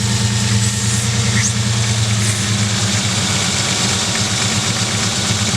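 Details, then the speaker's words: 1999 Ford Ranger with rough idle while the leaking hose connector under the throttle body, driver side, is held shut: steady, even, smooth idle with no sputter, as it should always run; it worsens when released. "see how the engine sounds a lot smoother that's what it's supposed to sound like all the time"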